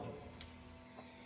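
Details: Custom Batmobile Tumbler build: center-console switches powering the ECM, then the fuel pump. Short, soft, steady electric whir as the pump primes; normal.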